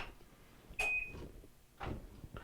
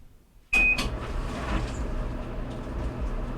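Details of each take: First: Whirlpool Duet electric dryer (GEW9250PW1) that won't start: a beep, then the control board relay clicks faintly with no motor hum; stuck belt switch, so the drive motor won't start. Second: Whirlpool Duet electric dryer (GEW9250PW1) that wouldn't start, after belt switch replacement and belt refitted: thump at startup, then steady even rumble with light tumbling as drum rotates; normal running.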